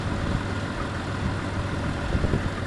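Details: 1996 Jeep Grand Cherokee on a very cold day: low uneven idle that lurches and sags, nearly stalling. It hesitates and backfires into the breather when given gas, with a loud sucking from the breather; code 11 is set.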